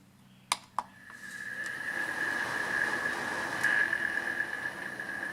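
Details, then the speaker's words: Honeywell QuietSet tower fan after disassembly, cleaning, lubrication and gluing, test-run standing vertically before the covers go back on. Two switch clicks, then a soft airy whoosh with a faint steady whine, no scraping; runs quietly and normally. "And you can go ahead and turn it on at this point. I guess I can plug it in and show you."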